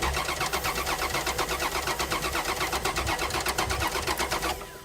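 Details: Dodge Dakota not started in five years, fresh gas added; starter cranks steadily at roughly 160 beats a minute, never catches and winds down: no fuel delivery from a failed fuel pump, later found full of brown gas.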